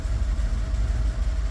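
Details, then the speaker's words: 1982 Pontiac Trans Am, Crossfire injection, abandoned 30 years, first start cold after new fuel pump and replaced fuel lines: low, uneven, slightly lumpy rough idle, no knocking; owner suspects vacuum leak, running better than before with excess fuel pressure. "Here we go. Little rough. Probably vacuum leak"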